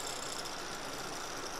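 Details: MSI GP65 Leopard laptop CPU fan, mic held close: steady airy whir with rough buzzing edge and no clear rhythm, irritating fan noise from a loose part that kept popping out.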